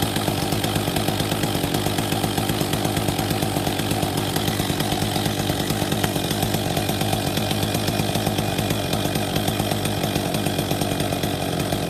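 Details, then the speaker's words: Husqvarna 262 XP chainsaw after new clutch drive sprocket and bearing fitted and greased (earlier failed decompression valve); fast even two-stroke buzz, steady firing, no stumbles or rattles; runs normally. "Fired, turn the choke off, leave it on fast run, so just push the choke in."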